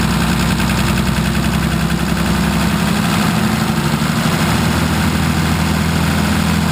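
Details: Nissan SD33 turbo diesel in a 1980 International Harvester Travelall, just restarted after an oil, fuel and air filter service and fuel priming with air bled out; even diesel clatter with a steady low throb at idle, no stumbling or hunting; normal idle.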